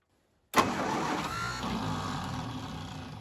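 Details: 1952 International Harvester L112 with spark confirmed at plugs, more gas given: starter spins the engine steadily for seconds and comes close but never catches or keeps running; cranks without starting.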